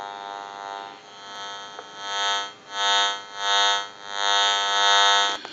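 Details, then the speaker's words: General Electric 27909 cordless telephone on the test analyzer: buzzy electronic tone swelling and fading about every second, radio-frequency interference from the cordless base picked up by the amplifier. "so if you hear that while we're checking the unit out it will be coming from the frequency noise"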